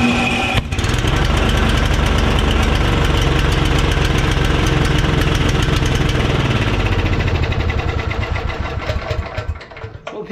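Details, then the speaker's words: Briggs & Stratton 12 hp Intek OHV single-cylinder on a Simplicity snowblower, after fitting an unbroken spark plug and reattaching the rocker arm so the valves open: fires up, settles into a steady even chug with no knocking or misfire, then shuts down; normal running. "you go friends a spark plug that Sparks and isn't broken in half and some valves that are open because the rocker arm is you know attached to the rest of the motor that's all it took"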